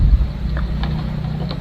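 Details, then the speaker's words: Stand fan humming steadily with no blade whoosh; motor continuity checks OK, but the shaft is tight and hard to turn by hand; seized bushing suspected, to be replaced. "ang problema na naman nito malamang mga idol yung busing na naman kasi mahigpit na naman to mahirap pihitin"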